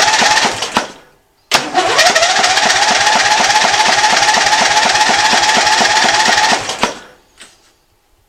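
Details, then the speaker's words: Lawn tractor with 16 hp overhead-valve Briggs & Stratton engine, after fitting a new spark plug with fuel turned on: steady starter cranking about three compression pulses a second for five seconds but never catches; no-start, fuel next suspected though fuel flow already good. "since it's not starting your next thing you'd want to look at is fuel"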